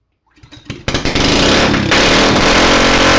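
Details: Go-kart engine after repair, started on the first pull, idle setting still needing adjustment: it catches into a steady even strong run likened to a V8; normal running.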